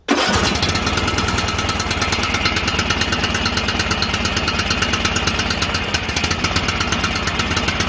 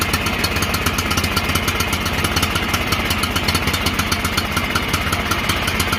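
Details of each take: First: John Deere L108 lawn tractor after sitting a year: engine at high throttle with uneven, lumpy firing, sounding choked and rough; the throttle was stuck, then freed. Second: John Deere L108 lawn tractor, sat about a year, after carburetor and fuel filter work, on high throttle after freeing stuck throttle: steady even engine beat at constant speed, no misses or knocks; normal running.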